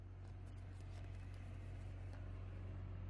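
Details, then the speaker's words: Opel/Vauxhall Astra H 1.8 after misfire and jerking repair, fault code cleared, engine run hard until hot: low steady hum at warm idle with no stumbles or ticks; smooth normal idle. "Alright guys, it's running again. Check engine light's gone. I just ran it pretty hard to get it properly hot. Purring like a kitten"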